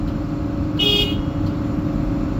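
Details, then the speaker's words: Hitachi 350 excavator diesel idling with key on: steady rumble, then a short horn blast that was never pressed; horn sounds intermittently on its own, suspected bad horn contact. "Apparently, word on the street is this thing, the horn's going off intermittently. It left the key on and this thing was just blowing its ass off."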